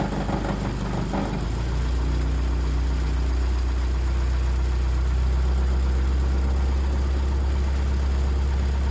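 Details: Turbo Pinto engine in Mk3 Ford Cortina, cold start tuning with cold-start fuel raised from 40% up to 260%: hard clunks as engine catches, then steady low idle; exhaust banging against the body on start-up, motor not solid mounted.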